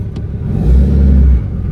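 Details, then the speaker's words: 2016 Ram 2500 6.7L Cummins, tuned and deleted, after Pedal Commander PC31 removal and battery reconnect: deep rumble swells into a heavier drone for about a second under exhaust braking, abnormally loud under hood; exhaust brake not engaging normally. "loud under the hood. I normally couldn't hear it outside or from inside the vehicle. I'm hearing it through this window outside. I've never been able to hear that before."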